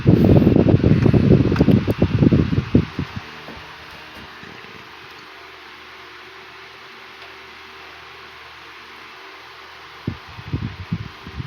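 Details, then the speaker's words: 1980s Northernaire 12-inch fan after cleaning, oiling and service, on high speed; smooth, steady, even whoosh with no ticking, rubbing or wobble, blowing much better than before; normal fan running. "it's much better if you can hear the airstream hustling into the camera you would notice the difference"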